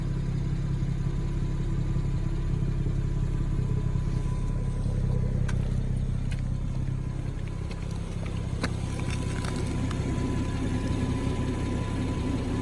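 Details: 2017 BMW 340ix F30 at rest with low fuel, from inside the cabin: steady low engine hum, no rhythmic rear thumping after the dealer applied SIB 12 20 19 (I-level reprogramming, post-programming calibrations); low-fuel thumping gone, sounds normal.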